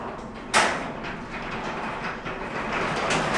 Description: Clang clang bang clang. The garage door is making far too many bumps to be healty.